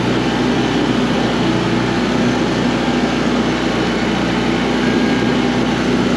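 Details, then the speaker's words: Coleman Powermate PM800 generator (600 W, Kawasaki four-stroke), choke off after the carb was tightened and fresh gas added, powering a light: steady, even drone at constant speed with no surging or misses, running properly. "So, yeah, runs good."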